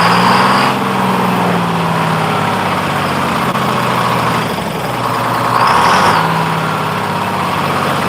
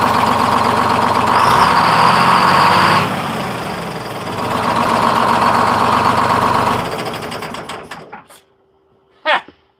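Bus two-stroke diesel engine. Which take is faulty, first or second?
first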